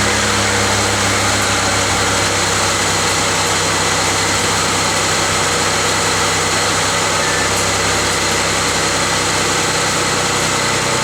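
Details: 2004 Mazda MPV 3.0 V6 after fixing a cylinder 4 misfire by reseating injector connection: steady, even idle with smooth low hum and no stumble or skipped beats; all cylinders firing, codes to be cleared and test-driven.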